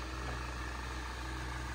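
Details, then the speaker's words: Saab 9-3 2.0 turbo after a full service, new oil and a replaced rocker cover seal, on a hot day: smooth, quiet, even idle hum with no shaking and the earlier ticking gone; healthy engine. "Now you can hear clearly without any noise. Engine running like a dream. No shaking at all."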